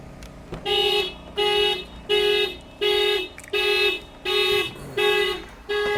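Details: Mitsubishi Outlander with many problems (battery dies monthly, key fob not working): loud pulsing anti-theft alarm repeating about 83 times a minute, won't stop; cause suspected, not confirmed.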